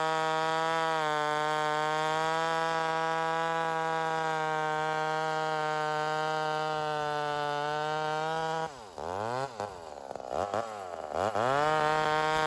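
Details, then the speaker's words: Homelite Super XL 130 vintage chainsaw rebuilt, first run during tuning: even idle buzz for eight seconds while tipped on its side then a few blips, no sign of air leak; steady idle. "So you're going to notice that after a cut here, I just let it go right back to idle. And I'm basically making sure that it returns to idle and does so like it should and doesn't fluctuate."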